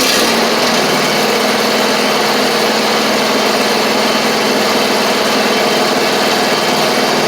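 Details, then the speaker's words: Free John Deere D140 riding mower (parked for blowing fuses), started after the trashed drive belt was replaced: the small single-cylinder engine holds a smooth, even, steady note with no misses or knocks. Normal running. "now should be ready it should drive a lot better or a little bit better now cuz the belt was trashed"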